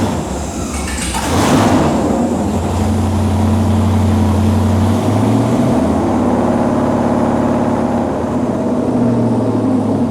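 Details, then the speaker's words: LS-swapped GMC Jimmy with a newly built transmission, put into drive with vice grips: engine settles into a steady even hum in gear and the rear wheels spin; transmission drives forward normally. "that's a good sign it goes forwards we don't need to go backwards or anything no"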